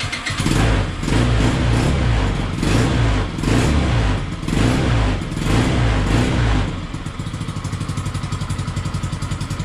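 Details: Peugeot Django 125 scooter after carburettor replacement for hard starting and poor running: about seven seconds cranking while fuel fills float bowl, then catches and settles into quick even putter; idling properly.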